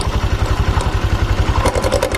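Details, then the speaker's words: Honda Vario 150 at idle, pulling forward as soon as it runs: a fast, low rattling clatter from the CVT. Clutch linings seem stuck to the clutch bowl after recent roller and lining replacement. "di bagian mesinnya berisik di bagian area CVT dan juga rodanya dia saat posisi hidup langsung jalan gitu nya berisik kayak gini"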